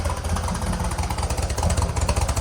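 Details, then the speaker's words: 1965 Chevrolet C10 V8 just got running: lumpy, uneven idle with loose stumbling exhaust beat and irregular pulses, running loaded; owner suspects the carburetor and plans to swap in the other carb. "Yeah, it ain't running right. What's that other side sound like? Oh shit. Knocked it off. Yeah, it's running loaded. Sounds like loaded."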